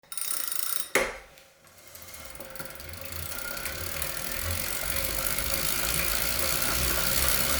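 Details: Brand-new Wahoo Kickr Core smart trainer: rhythmic clicking/knocking, roughly four per second, over the flywheel whir as load builds; source inside the trainer unclear.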